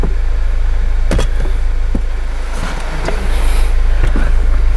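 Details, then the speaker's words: Mazda CX-5 with fuel gauge on empty and hunting idle, after battery disconnect and reconnect: even, steady low idle rumble with no surging up and down; normal idle. "engine has installed and it hasn't done that uh humming hunting like the rape was going up and down so definitely made a change here"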